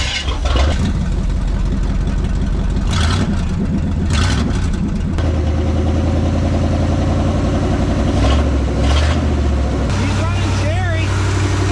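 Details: Abandoned small-block Chevy V8 truck after a decade in the woods, running on temporary fuel: deep steady rumble idles without stalling, with a few throttle blips; engine running fine.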